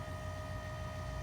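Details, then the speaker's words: 2016 Nissan Titan XD with the Cummins 5.0L diesel, after changing both fuel filters, engine off, priming started by pressing the start button twice without the brake: steady electric hum and whine of the priming pump, working normally, up to 90 seconds. "you want to press the starter button twice without pressing the brake poo and you can hear the prime pump kick on go down there and just listen to it here you can hear it do not attempt to start the vehicle"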